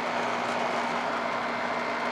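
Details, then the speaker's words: AC condenser fan after replacing failed fan motor, run capacitor and contactor on no-cooling call, 100° day: steady airy rush, faint even hum, no rubbing, ticking or wobble; new motor draws about 1.6 A, rated 2.8; runs normally. "all right guys she's up running this motor uh I did earlier 2.4 2.6 is rated 2.8 and uh she's running around that 1.6"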